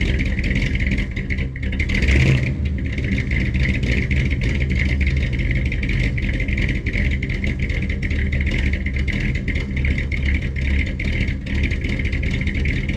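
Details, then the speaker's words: 1967 rig, over 50 years old, started on full choke with a few pumps and running on old bad gas. Deep, uneven rumble with a loping, unsteady beat that stumbles a bit. Running rough. "this one is uh 1967 so over 50 years old and she still fires right up on some old bad gas um doesn't run the best but pretty cool rig"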